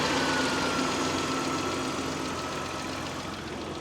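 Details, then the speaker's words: Mitsubishi 3000GT, drive belt chirp and squeak, after belt retensioning, with the alternator suspected slightly misaligned; steady idle with an even hum and no chirp or squeal, unloaded, so not yet verified on a drive. "Sounds better for now, but it's not under load. So, I'm not really going to know until I start driving the car around."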